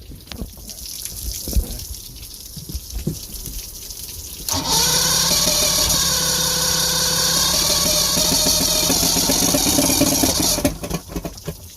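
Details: 1970 Mercury 1150 L6 Silver Block outboard after replacing bad trigger/distributor and rebuilding carbs, fuel leak still present: engine catches after about 4.5 seconds, runs a steady, even buzz for six seconds, then shuts down; normal running.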